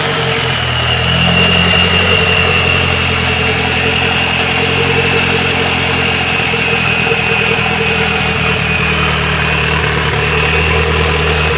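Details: Nissan Sentra GA16DET turbo four-cylinder after a head gasket replacement, warm after driving and not overheating: idle with a slight uneven shake in the beat and a faint whistle on top; idles rougher than it should.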